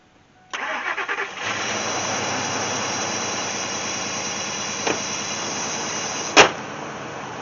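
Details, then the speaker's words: 2002 Ford Expedition 5.4 V8 cold start in low 30s/high 20s on its own freshly charged battery: cranks, catches and settles to a steady idle; earlier pulsation seems gone, owner suspects battery-related idle relearn; normal cold start and idle. "it seems like that pulsation might be gone it must have been a battery deal trying to learn its uh idol or whatever like that"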